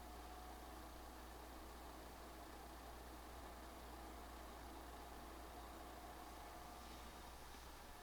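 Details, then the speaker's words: PlayStation 5 Pro fan starting Marvel Spider-Man 2, around 48 dB in menu; soft steady airy whoosh and low hum, no rattles or whine; neither quiet nor very loud, normal fan noise under load. "I will say the PS5 Pro is not necessarily quiet nor is it agnostically loud but the fan definitely does generate some noise"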